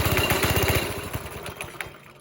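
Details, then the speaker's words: 5.5 hp Briggs & Stratton single on a NASCAR-body go-kart, after sitting about a week and a half, choke off; loose uneven chugging that never picks up and fades, sounds restricted. Throttle cable found disconnected. "It's definitely not sounding right. Sounds like it's like restricted somewhere."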